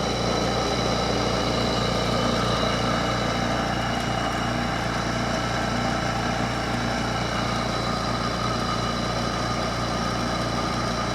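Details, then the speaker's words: Hampton Bay (by LG) 8,000 BTU window air conditioner, circa 2004, second unit of the same model: constant droning hum with rough buzzy whir, motor sounds worse than the first; loud fan motor noise, cause suspected not confirmed. "here goes the same model Hampton Bay 8,000 BTU here it goes the damn motor sounds worse this one"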